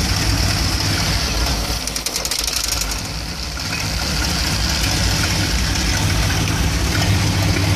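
Warm V8 idle with an uneven, loping beat and irregular stumbles about three times a second; a rough idle, cause not yet pinned down.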